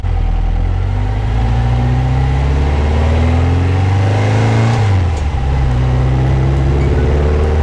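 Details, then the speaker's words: 1974 VW Super Beetle with 2054cc stroker air-cooled engine, first drive: deep throaty note climbs smoothly through revs, drops at gear change, pulls again cleanly; healthy, strong running under acceleration. "yeah i like it sounds good too yeah it doesn't sound stock it's real grody"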